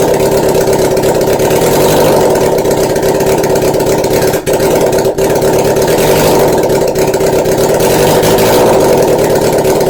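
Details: 1981 Honda CB750 motorcycle engine (being rewired with simplified wiring) idling steadily and evenly with a smooth, unbroken beat, no misses or knocks; normal idle.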